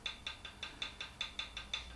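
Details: 1978 Triumph Bonneville T140E, engine cold and stopped, about 2,000 miles since the last check, rocker rocked by hand: light crisp tick about five times a second; free play consistent with correct valve clearance.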